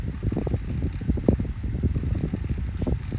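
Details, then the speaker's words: Tesco DF96 9-inch desk fan on its lowest speed setting: low, steady whoosh of spinning blades with air buffeting the mic and a faint rattle; makes a bit of a noise but runs normally. "here we go makes a bit of a noise so seems to work"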